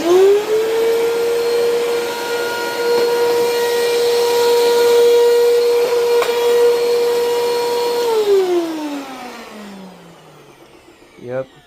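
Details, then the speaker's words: Eureka Altima upright vacuum: a steady, fairly loud motor whine, suspected from dirt in the fan, with no brush thrash underneath, then a clean spin-down; the worn drive belt leaves the brushroll not turning. "that belt is done for."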